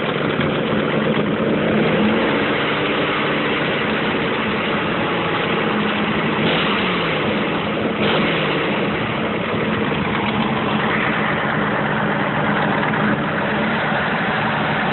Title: Ticking/knocking noise